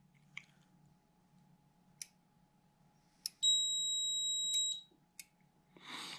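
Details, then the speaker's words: Lennox furnace E225 code, pressure switch tested on bench by blowing into tube, multimeter on diode check: soft clicks as both micro switches close, then steady meter buzz about 1.5 s and another click; high pressure switch, previously failed open, now closes properly. "right as you heard there i blew into it this switch clicked first and then this switch clicked second since i got my multimeter that's where you heard a buzz"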